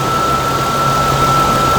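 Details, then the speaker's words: 2013 Toyota Tacoma at idle: constant high-pitched squeal over a steady idle, tensioner and bottom idler ruled out. Finding: idler pulley bearing squeal. "Now you notice how that pitch of that squeal changes. Take my hand off of it. There it is again. And now it's gone, just by putting some pressure on that bolt."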